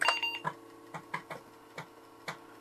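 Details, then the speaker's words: 486 PC floppy drive booting an MS-DOS 6.22 disk after dust blown out and IPA cleaning: buzzy head-step clicks every half second; loud but reading normally. "that's definitely reading it starting at MOS looking for the date there we go MS DOS version 6.22 so no problem so the floppy disc is working as well it's a little loud but it does work"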